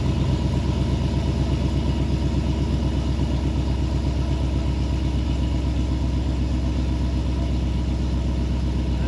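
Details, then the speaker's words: High-mileage 21-year-old GMT800 Chevy Silverado/GMC Sierra 1500 V8 with newly fitted used long-tube headers: deep, even burble with steady low pulses, no knocks or misses; normal idle and revs. "Yep. I am a fan. It sounds great. Totally worth it."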